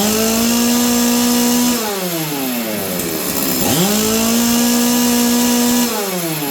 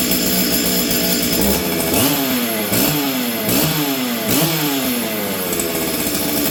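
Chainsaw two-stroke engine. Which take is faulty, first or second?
second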